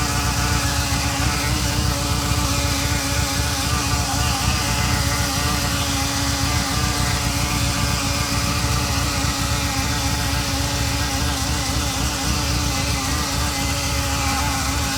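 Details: Ferrari Mondial 3.2 V8 at cold idle: a steady mid-pitched buzz over the engine, starting about 15 seconds after start as oil pressure rises and fading when warm. Loudest on the braided oil hoses to the fan; cause suspected, not confirmed.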